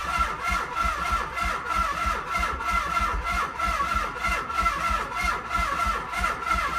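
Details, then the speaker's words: 1995 Nissan 300ZX, no battery fitted, cranked via the largest jumper cables: steady, even starter cranking about three strokes a second with no firing or catch: crank no start. "okay so it looks like the jumper cables make a difference"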